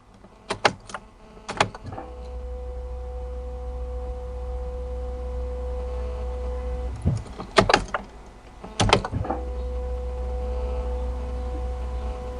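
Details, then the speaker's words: Peugeot 3008 1.5 BlueHDi diesel after an oil service and four-filter change, ignition switched on repeatedly to prime the new fuel filter. Steady low hum with faint whine between clicks, some air bubbles heard. Electric fuel lift pump priming. "Donc là, j'ai déjà mis deux coups de clés. Donc je vais en mettre On entend la pompe de gavage."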